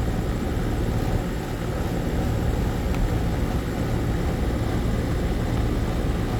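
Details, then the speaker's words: AC condensing unit after replacing a bad run capacitor with a universal dual run capacitor: compressor and condenser fan running with a steady low hum and fan whoosh, no clicks or stalls, drawing about 10 amps; normal running. "but yeah she's running I know you hear the compressor let's check the ampage"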